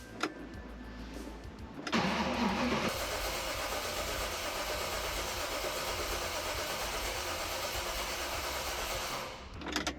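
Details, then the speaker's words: V8-swapped Mazda MX-5 Bullet Roadster, first start attempt in over a year: starter cranks steadily about seven seconds with no firing because the ECU was not grounded; crank no start, ECU not grounded. "Now, I don't know why it's not working. I'm going to have a look. It must It must be something something that I disconnected that I've forgotten. Oh, I think I don't think I connected the ECU."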